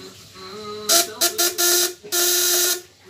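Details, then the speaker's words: 12V contact-breaker (platina) shock/inverter unit, 1.5 kg, under 200–1000 W load test; breaker adjustment still loose with only slight tension: harsh, hissy buzz in short uneven bursts over a steady mid tone, coil buzzing weakly. "Ini masih Los ya Los nah ini udah ada ada tekanan cuman dikit nih kita lihat ya suaranya solusi Los"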